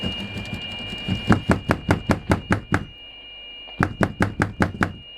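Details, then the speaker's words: CB radio on 27.615 after repairing intermittent receive by removing and bypassing faulty components in the signal path; steady high tone holds unbroken through sharp taps, reception now solid. "we have no more intermittent uh connection"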